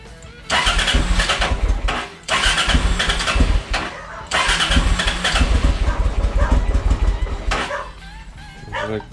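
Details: Honda XL650V Transalp after service, a month's storage and fuel drained through the float bowls: starter churns briefly, the twin catches on the first try and settles into uneven, blipped revs; crisp note from the new Arrow exhaust with dB killer. Normal start.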